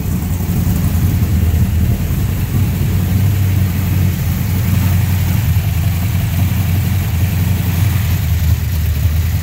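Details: 1970 Chevrolet Nova former drag race car, V8 started off a jump pack; deep, loud V8 rumble holding steady with strong low burble and no ticks or knocks; healthy big-cam engine running normally.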